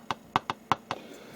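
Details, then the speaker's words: Atari Gravitar arcade cabinet original speaker with dented cone, tapped with a battery: six thin irregular clicks, very quiet weak output compared with good speaker; cone not expanding correctly, owner will try bending it out. "something's definitely wrong with this thing. It came to me like this from Arcade Shop. See, listen to how quiet it is."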